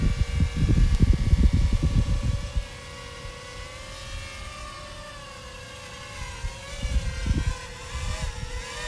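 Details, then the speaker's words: JME drone lifting an Insta360 One X camera, no satellites locked: steady high motor whine wavering in pitch under gusty wind buffets; the motors sound laboured, straining just to stay airborne; cause suspected, not confirmed. "it's actually working but it's straining you can hear those motor straining pretty good"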